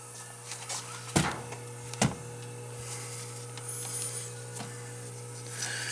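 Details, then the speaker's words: Goodman condenser, relocated and now not cooling: steady low electrical hum while the fan motor stays still and fails to start; bad capacitor suspected, not confirmed. "it's a bad capacitor i could hear it humming i think it was hopefully it's just a capacity"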